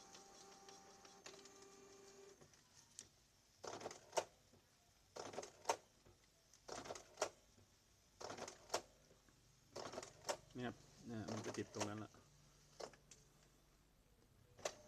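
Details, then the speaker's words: Canon G2000 inkjet printer, after the fix for loud printing: dried grease on the printhead carriage and gears cleaned and replaced with white grease. Now quiet: soft carriage passes and light clicks in short bursts, no grinding or squeal. "นี่ก็มีเฟืองอีกนั้นก็ใส่ไปด้วยก็ได้ครับเพราะว่าเรามองเห็นอยู่แล้วเงียบแล้วครับ"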